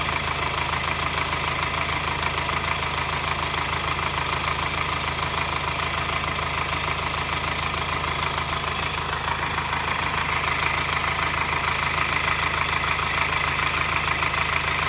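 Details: 2009 Subaru Forester diesel, hot idle: even metallic clatter about twice a second, only when hot at low rpm and on acceleration, worse in hot weather, silent cold; no smoke, runs fine, five mechanics found no cause.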